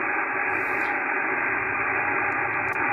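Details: Yaesu FTdx5000MP receiving a SOTA station on the 40 m band: constant hiss filling the band, radiated by a nearby washing machine's inverter drive motor; reduced using IPO, DNR and the mu-tuning preselector; radio frequency interference.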